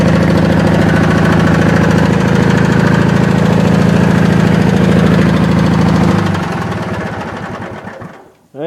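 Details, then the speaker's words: Wheel Horse with big twin-cylinder Briggs and Stratton, after dead-cylinder repair, governor spring on second notch giving about 4100 rpm at top: fires right up with a steady, even beat on both cylinders, no misses; normal running. "let me fire it up and say that way you guys can hear it gotta turn key it fires right up"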